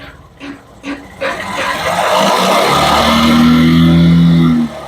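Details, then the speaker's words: Honda Unicorn/Shine motorcycle after fitting a new Spaco carburettor to cure missing and slow-speed problems: engine catches, revs climb cleanly with an even note and settle to a steady idle, correct rpm with no variation. "കണ്ടോ correct R PM ആണ് നിങ്ങൾക്ക് വണ്ടിയുടെ sound ഞാൻ കാണിച്ചുതരാം ഒരു വേരിയേഷനോ കാര്യങ്ങളോ ഒന്നുമില്ല correct ആയിട്ട് വണ്ടി റൈസ് ആവുന്നുണ്ട്"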